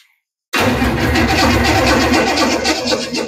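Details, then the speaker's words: Rat rod 327 small-block Chevy, second replacement starter fitted: after brief silence the starter turns the engine over strongly and steadily with no grinding or clicking; cranking is normal, and oil pressure reaches 50 psi while cranking. "at that that's the problem and that's ster sounds good yeah it does"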